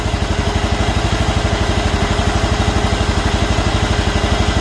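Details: John Deere mower with Kawasaki engine being checked for a charging issue, idling with the charging output reading near 13 volts just off idle. Steady, even putt-putt of about three pulses a second, no skips or knocks: normal idle.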